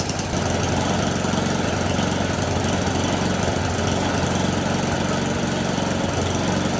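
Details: Snowblower small single-cylinder engine after the carburetor was cleaned and reinstalled: steady fast patter of roughly four beats a second, holding speed without dying or surging; normal running.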